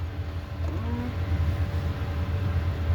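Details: 2016 Audi A4 steering column as the wheel is turned after lubricating the steering cross joint with WD-40: smooth steady rumble with no creak, clunk or squeak; steering joint now runs quiet.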